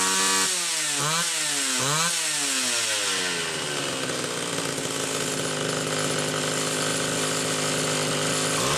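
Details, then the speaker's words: Homelite Super XL two-stroke chainsaw after repair: the carburetor's metering inlet lever spring was stretched about a coil and the high-speed jet tuned slightly rich. The saw blips a few times, then holds a clean, steady high-rev scream, leak nearly gone. Normal running. "so it sounds good got into the carburetor and just stretch the metering Inlet lever spring just a smidge about a coil"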